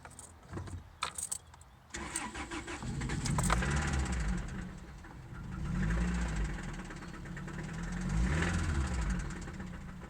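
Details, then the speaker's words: 2003 Toyota Celica GT manual cranking, catching, then idling lumpily with a dull, uneven knock underneath. Owner says it is absent when cold and much worse when hot. Engine knock, cause unknown. "Here is a 2003 Celica GT manual with an engine knock."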